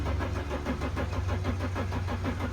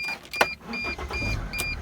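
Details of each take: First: Mercedes Sprinter van with no-start condition, starter jumped by touching two connectors underneath with key on; steady, even cranking for several seconds but never fires: cranks, no start, cause unconfirmed (owner suspects wiring/disconnected lights). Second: Mercedes Sprinter diesel van being checked for a no-start: a chime, then the starter catches almost at once and settles into a steady idle. This is the healthy, prompt start the van should have; the owner felt a slight hesitation.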